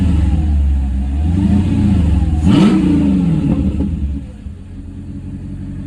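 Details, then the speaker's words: Mercedes C55 AMG V8 after intake manifold install, manifold nuts retightened about half a turn after settling loose: blips up smoothly and settles to steady idle, no knocks or misses; noise gone, normal revving. "definitely got rid of the sound that I was hearing so I think it just uh settled a little bit and got a little bit loose"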